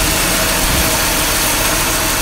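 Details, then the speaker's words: Petrol engine idling steadily and evenly after restart, no hiss or hunting; vacuum leak thought to be found and sealed, idle now sounds better after the repair. "shut it off all right we restart it boy that sounds better I think that's where my leak were uh leak"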